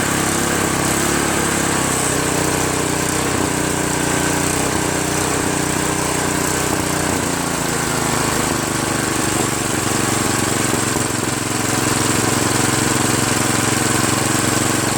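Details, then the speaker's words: Craftsman OHV 5.5hp 26-inch dual-stage snowblower idling after replacing the surging carburetor with a $7 Chinese copy carb: steady, even idle with no hunting or surging; normal idle after repair. "runs smooth, idles really nice. I tell you, it's well worth $7 to get a new carburetor."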